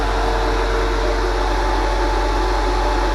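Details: Mishimoto transmission cooler fan kit, 1200 CFM fan, used for electric motor liquid cooling: loud, steady rush of air with constant low drone, no rattles or scraping; fan running normally at full speed.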